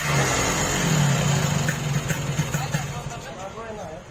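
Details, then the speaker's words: Yamaha RX King two-stroke, owner's complaint that power is fine but the engine rattles: loose, uneven rattle of about three knocks a second over the revving engine; piston slap from excessive piston clearance. "Oke bro, ini keluhan ereking ini kalau untuk di spek tenaga bagus, cuman bunyi mesinnya aja ngeretak."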